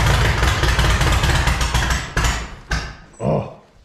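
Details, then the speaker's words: Allis Chalmers B tractor under restoration: runs rough and lumpy on ether, then coughs twice and dies as soon as ether stops; owner suspects it is not getting fuel, cause unconfirmed. "well we got it running on ether but as soon as i let off on the ether it completely dies right out"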